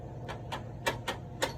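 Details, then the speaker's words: US General 56-inch tool box top drawer worked back and forth, giving sharp clacks about four times a second. The slides are sloppy and loose in their tracks, before riveting them solidly to the drawer. "but you can hear how sloppy they are i'm sure you can see the movement in them"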